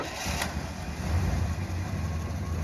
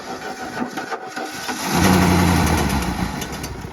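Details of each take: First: 1966 Plymouth Fury III 318 V8, revived after 25 years sitting, starting for its first drive; it fires right up and settles into a deep, steady, even idle with no stumble or knock, sounding healthy. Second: Plymouth Fury III with 318, sitting 25 years, first crank after confirming spark, fuel pump squirting gas everywhere; catches and fires briefly, uneven run fading out within two seconds; fuel starvation.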